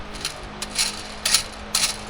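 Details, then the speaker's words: Eaton Endurant 12-speed truck clutch job with transmission removed: a bearing flicked by hand gives short gritty rasping bursts; a rough bearing that should not make that noise. "It should not be making that noise. So, I got to check this bearing."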